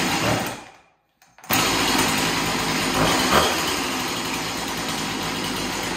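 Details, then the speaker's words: Chainsaw after cleaning the scored cylinder and fitting a new piston and ring, first start after priming: brief catch-and-stop, then steady even high-pitched two-stroke idle, no misses; owner guesses carburetor was dry, now pumping fuel. "well that's great so it runs so i'm guessing the the carburetor was dry and um now it's pumping fuel through"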